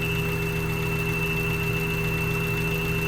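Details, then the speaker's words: 1992 Honda Civic hatchback, warmed up at idle; steady high-pitched whine over even idle with lower hum beneath, only at idle after warm-up; persists after third alternator and new tightened belt; alternator suspected but source unknown. "what is that sound coming from it's awful it really seems like it's coming from the alternator but I don't I don't know where it's coming"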